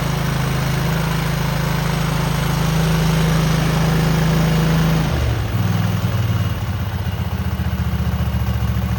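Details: Cub Cadet garden tractor twin with new spark plugs and an uncleaned carburetor, choke frozen; has a gas leak. Runs steady and even with a low, smooth beat, settling a little lower partway, no knocks or misses: a smooth motor.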